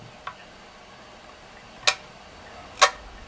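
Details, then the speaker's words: Programmable timer socket relay under load; a few sharp irregular clicks about a second apart as the relay drops out instead of holding contact, buzzing when it holds; owner suspects the relay coil is fried. "As you can hear, it's not holding it anymore. So basically, I think the coil itself is fried and it cannot hold the contact anymore."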